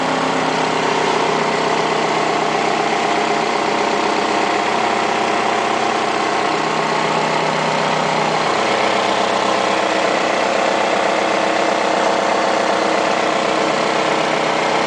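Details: 2008 Nissan Altima 2.5S engine at steady idle: faint rhythmic ticking about four per second over the engine hum; abnormal idle noise, cause unclear.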